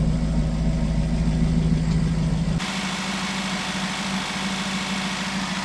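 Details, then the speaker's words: Jaguar XK engine, after replacing fuel injectors, idles with a lumpy, uneven low beat about three a second that changes midway, with heavy exhaust smoke; rough running because about 9–10 litres of oil were diluted with petrol, suffocating the engine. "So the reason why all that smoke was coming out was petrol in the oil, suffocating the engine."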